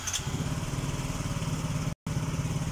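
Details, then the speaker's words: Yamaha Mio J scooter just after an ISC idle-control reset with an MST 400 scan tool and a cleaned throttle body; single-cylinder idle starts high and drops to around 1600 rpm while the ISC relearns, a fast, even putter. "ini rpm nya gede ia mulai turun dia mulai turun di 1600-an ya"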